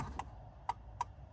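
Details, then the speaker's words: Ford Escape, 284,913 miles: turn signal flasher clicks about three per second returning after a pause when wiggling the blue box under the dash near hood latch; intermittent flasher, suspected shorted wire. "But as you can see, the blinker stops. If we wiggle it and hit it, see, we're pushing on it."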